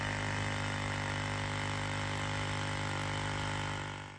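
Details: Vacuum pump on a 1999-2007 Ford Super Duty (7.3 or 6.0 Power Stroke) runs with an even electric hum and fast steady pulse, then winds down smoothly; after replacing a leaking vacuum hose, the system holds vacuum.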